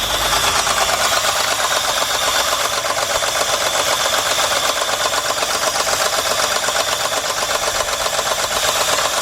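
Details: 2003 Jeep Liberty Sport 3.7 V6 idling very rough after sudden loud engine noise on the way to work: uneven idle with hissy intake rush and loping stumble from a severe misfire, diagnosed by unplugging coils one by one.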